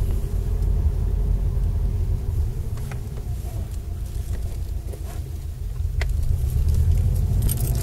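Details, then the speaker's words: Subaru Impreza WRX new-age 5-speed gearbox after center diff bearings replaced (shafts shimmed), recorded on road: low steady road rumble, faint key jingle, no whine rising with speed; complete silence, normal gearbox. "this is the center diff bearings haven't been replaced on the new AG WR WRX 5speed gearbox complete silence"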